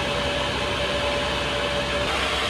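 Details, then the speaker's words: Chinese diesel heater in a campervan after a glow plug replacement fixed the E-3 error, on the H1 high setting: loud steady air rush with a faint constant hum, no rattles or surging; running normally. "let's leave it in H1 and it feels like we're going to fly away"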